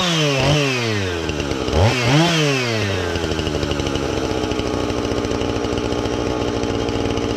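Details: Husqvarna 450 X-Torq chainsaw that wouldn't run, new chain and bar fitted, started to check and adjust the carb (special adjusting tool bought): two-stroke snarl revs up and drops back twice, then steady even buzz while cutting; normal running.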